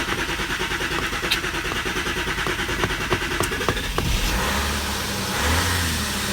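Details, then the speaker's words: Car that would not start, next day (24 hours later) after blocking each injector to find the faulty one and changing injectors: short crank, fires promptly and settles into an even idle; starts cleanly with no hesitation. Owner suspects a relay may have been the cause. "I honestly lost hope. I lost hope in the car. The car started up with no hesitation."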